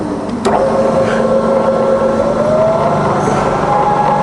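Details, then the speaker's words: Fully rebuilt Bridgeport milling machine, variable speed head in low range, spindle in reverse around 100–150 rpm, down to 60 and back to 100 rpm; smooth gear hum rising gently with speed, no knocking or grinding, "lovely and quiet"; normal running. "rpm in Reverse 150 range to 60-below it's all lovely and quiet back down to 100"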